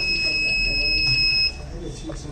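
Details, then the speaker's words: HVS-3409 PIC microcontroller earth and line fault detection project: a steady high-pitched buzzer sounds for about 1.5 seconds, then stops, as the phase fault alarm triggers when the phase line is disconnected. A green LED shows the phase fault status. "right so into the phase fault occurred green LED show the status of face fault occurred"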